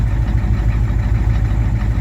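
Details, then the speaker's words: 1987 Ford F-350 diesel after sitting 8 months, started with ether, restarting on its own without a boost; wiring issues noted: deep, even idle with steady low rumble, no misses or knocks; normal idle. "It can fire up on its own without being boosted."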